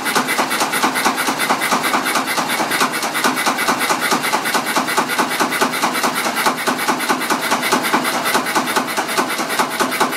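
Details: Small stationary engine started on petrol, firing cleanly and evenly on every stroke after about a minute of random misfiring, before being changed over to diesel.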